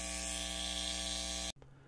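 Steady hum and hiss with the volume all the way up, no squeal or feedback, then it cuts off; a normal quiet amp.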